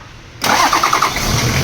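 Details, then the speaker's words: Toyota Land Cruiser 70 series diesel that cranked but wouldn't start: with fuel shutoff valve removed it suddenly catches, rough rattle settling to steady idle, confirming faulty shutoff valve; new valve ordered. "ayun So umandar andar nga so kambyo Ayon ayaw Ong mamatay kaya e engage na lang natin yung ano y Tama yung hinala namin na shot of valve ang problema ito yung problema"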